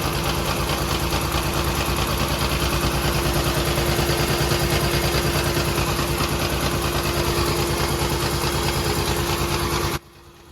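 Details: 2013 Maruti Alto 800 misfiring, barely drivable with AC on: uneven lumpy idle with a heavy thump about three times a second; dead first cylinder traced to a failing ignition coil.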